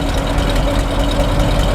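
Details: 1952 Ford F4 farm truck, about 42,000–43,000 miles, flathead idling on a cold day, heard at the exhaust with a little white cold-engine vapour, not blue smoke: soft, even rumble with a steady low beat, no ticks or stumbles; idling smoothly.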